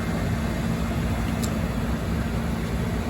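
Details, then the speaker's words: Diesel hot water pressure washer burner with power on and water below thermostat setting: blower motor spins the squirrel cage fan and the fuel pump recirculates diesel, a steady low hum with faint pump whirr, no ignition; pressure switch is the only thing keeping it from firing. "the only thing keeping that burner from firing right now is the pressure switch condition three so if this thing's going you can hear it what's happening is this motor is turning the squirrel cage fan is moving air and the fuel pump is recirculating diesel in a circle"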